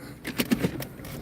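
At walking pace there are a few short scraping rasps in quick succession, a loose rusted trim piece hanging down and dragging.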